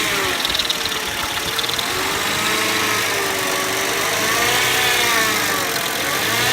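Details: 1999 Mercedes ML 320 whining noise while driving, cause unknown to owner: a thin whine over the engine rising and falling with revs, seemingly belt or accessory driven.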